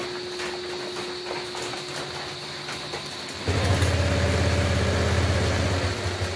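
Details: Honda Click 125 v3 started after an engine teardown and reassembly with the cylinder head and gasket refitted. It had kept a knocking noise after another shop's overhaul. The radiator cap is off to bleed air. Steady, even idle drone with no knocking.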